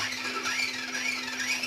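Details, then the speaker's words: Kyosho Outlaw Rampage PRO RC truck after installing part OL009 and reassembling the skid plate and pinion cover, given light throttle. A smooth, even electric whir with no clicks or grinding; the earlier noise is gone. "and there you go. No more noise."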